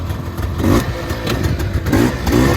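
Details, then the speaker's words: Honda FL400 Pilot shifting from reverse back to forward: short rev blips with light gear clatter, needed because of straight-cut transmission gears; normal rev between gear shifts. "Sometimes you have to rev them between gears because they have straight cut transmission gears in most of the box."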